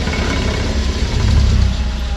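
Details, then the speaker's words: 2012 Suzuki SX4 AWD CVT, on jack stands in gear: deep steady buzzing drone from driveline, rear diff nose shaking half an inch; seized central propeller shaft universal joint, vibration most prominent at low speed. "It's buzzing like a bastard. It's moving a half inch, easy."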